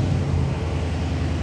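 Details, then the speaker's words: Dodge Charger SRT V8 with added catch can, started after ABS module replacement (C2200) before calibration, coolant found low and topped off: deep, even rumble, steady firing, no knocks, misses or rattles; normal running after start. "I hear that? Sounds good. Oh, it sounds so lovely."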